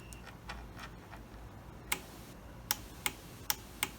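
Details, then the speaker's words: Custom fuse and relay panel on a bench test, relay triggered from the fuse box signal and fed by a 30 A fuse: crisp, light single clicks about five in two seconds as the relay switches the lamp normally. "okay so the light comes on again as normal but this time if you listen carefully you can hear the really clicking"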